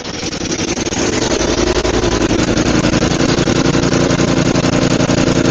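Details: Roadside-found Murray 5HP 24-inch snowblower (Tecumseh) after head gasket replacement, carb cleaning and throttle adjustment following a runaway: single-cylinder putter, rough at first then a steady even beat; now idles properly, runs amazing.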